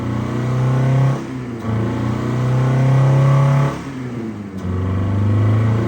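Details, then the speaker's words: 1988 Honda CRX Si, sat 14 years, first run after new fuel tank, fuel pump and distributor, held about 5000 rpm wide open: revs sag and stumble, dropping out twice before picking back up. Rough running; owner suspects clogged injectors or clogged exhaust/cat. "well she runs it's about 5000 RPM whole time too I had it wide open until she started running finally I guess the injectors are clogged sounds like exhaust might be clogged cat something's going on it's not too happy"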